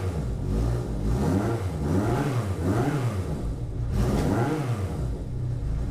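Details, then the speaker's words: 1981 Yamaha XS1100 Midnight Special after cleaning clogged carburetor idle (pilot) jets, warmed a few minutes, fully off choke: crisp throttle blips rising and falling cleanly with even firing, returning to a healthy idle. "sounds good doesn't it so all it was was those uh plugged up idle jets or some people call them pilot jets same same right on"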